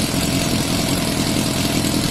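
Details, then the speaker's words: Yamaha Fazer FZS 600, 29,000 miles, off the road since 2006, first run after an oil top-up: steady idle with a light, quick ticking over it; owner thinks it's normal and will quiet once the fresh oil circulates. "Engine does sound a little bit tappity, but I think that's quite normal at the moment because it hasn't run well."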